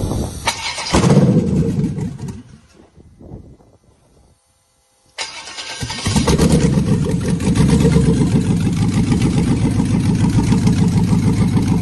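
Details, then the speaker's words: LS V8 (188,000 km) on a swap prep stand, super cold start without mass airflow sensor: rough, uneven idle with a lopsided pulse, one injector dead causing a single-cylinder misfire. "there's three injectors injecting one is dead not doing nothing so there's one misfire"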